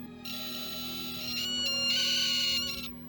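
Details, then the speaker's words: Homemade buck-boost converter in constant-current mode, EI-type transformer under load: piercing steady high-pitched whine, coil whine judged too loud to be usable. "Es muy insoportable el ruido que hace."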